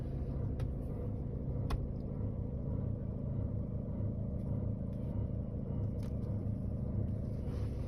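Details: Seat Ibiza 1.6 TDI 105 hp diesel at idle: steady low rumble with a faint, uneven tick on top. Owner unsure whether it comes from the timing belt or the injectors. Car also stalls when the air conditioning is switched on.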